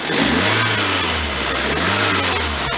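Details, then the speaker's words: 1999 Toyota Celica ZZT231 after fixing the cold air intake and replacing the pod filter, idle earlier too high: engine blips up and settles twice, pitch rising and falling cleanly with no hesitation returning to idle; sounds good. "well actually the engine sounds good now it's not hesitating to idle"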